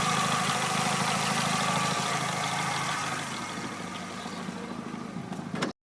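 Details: Chevrolet Aveo that would not start (no ECU communication, no fuel pump, no spark), now running after ECU repair: steady, even idle with a faint whine, no knocking or missing; sounds healthy.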